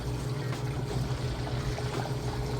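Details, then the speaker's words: GE top-load washer moving out of the wash cycle, towel around the drain spot; low pump hum under a steady rush of water draining out fast, no grinding or rattling, normal drain pump operation. "Just draining that water out nice and fast. I put a little towel around my drain spot here. That way water didn't kick up right when it kicks on, but you can hear it draining that water out nice and fast."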